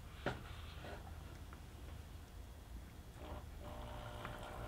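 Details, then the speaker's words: Small air pump aerating a hydroponic grow box through an air stone and check valve: soft low hum steady under gentle bubbling and light splashes. Running normally. "you hear it humming and just check it see it bubbling away"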